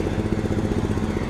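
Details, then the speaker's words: Etesia Bahia ride-on mower during leaf clean-up: even, quick putter from the small engine at constant speed with no knocks or misses; running well. "not much to do on this one but it's really what it's working well I'm quite pleased with it"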